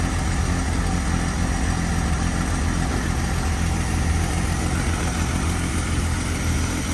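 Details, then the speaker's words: AMC Eagle carbureted engine after air-fuel mixture screws turned out half a turn each: steady even low idle with no misses or stumbles, purring smoothly; idle may be lowered slightly more. "that is purring. So I could probably come out maybe just a tad more on that, and I bet I can get that idle down just a little bit. Man, that sounds good."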